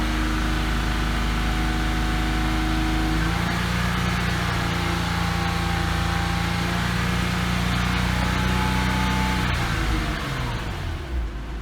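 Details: Porsche Cayman S (987), March 2006, 87,094 km, flat-six running steadily: light rapid tick that settles down at the end; hydraulic lash adjuster suspected, possibly piston slap, unconfirmed.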